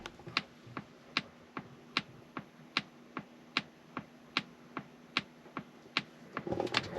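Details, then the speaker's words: Polestar 2 in cabin: crisp, dry, very regular clicks about 75 a minute, made from recorded snapping twigs in a Swedish forest: normal turn signal ticking. "So a couple engineers went into a Swedish forest in Sweden and started snapping some twigs, recording the sound, took it back to their studio and did whatever they did to it to make this blinker sound."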